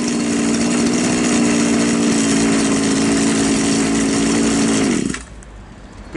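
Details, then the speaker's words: Champion string trimmer, small two-stroke, after the top idle screw was turned in (its carburetor has no fuel screw) to stop it stalling at idle. Steady, even idle, then a clean shutoff. "нормально тример работает хорошо"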